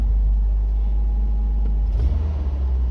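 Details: 1993 Toyota pickup 22RE with a crate motor and new top end, after an engine computer swap: deep, lumpy idle with an occasional uneven stumble; a misfire is still present.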